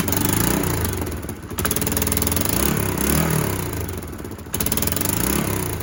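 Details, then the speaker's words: Kawasaki KLF300 Bayou 4x4 ATV after swapping in a donor spark plug, plug cable and coil, choke off. It runs rough at a higher fast idle with sharp pops as fuel ignites in the exhaust, not backfiring through the inlet as it did before. "That's actually igniting in the exhaust. That's not a backfire. It was a backfire before."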